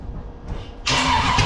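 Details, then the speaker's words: Freshly built 454 big-block Chevy for a 1972 Camaro: brief crank, then it catches abruptly and runs uneven and lumpy, with fire seen; owner suspects ignition timing too far advanced and is adjusting the distributor. "Yeah, I might have it too far advanced though. Oh, okay, whatever. Something's wrong. I'm gonna retard it a little bit."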